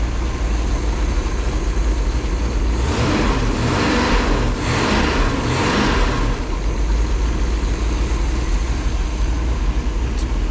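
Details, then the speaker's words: 1968 Pontiac 400 high-compression small-valve V8, fresh after fixing the wrong cam and intake, in break-in: steady idle rumble, then quick throttle snaps that rise and fall cleanly; healthy engine. "a couple of 53 55 5600 RPM snaps you know bring them up there want to make sure if it's going to come apart I want it to come apart on my floor instead of at the track"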